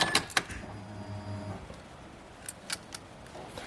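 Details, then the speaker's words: 2005 Mazda 3 driver's side power window that goes down fine but struggles going up: a loud, low buzzing motor hum labours for about a second, then stops with a few clicks; a noisy, straining window motor. "this has problem is window is not going up and down they're making it's a bigger loud noise"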